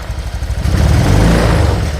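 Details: Honda Vario 125 (first-generation KZR series), just after an engine rebuild: at low rpm, opening the throttle gently gives an uneven stumbling, surging "brebet" putter, though full throttle pulls fine; injector, TPS or fuel pump suspected, a common Vario 125 fault.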